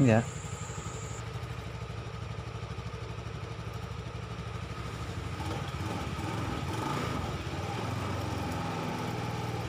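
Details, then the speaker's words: Honda Vario 110 FI scooter after seized, broken front CVT pulley, test-run with CVT cover held by one bolt after fitting correct-length bushing: even low drone, smooth, no scraping or rubbing; wrong-length bushing was the cause. "Oke, suaranya halus dan tidak ada suara gesekan."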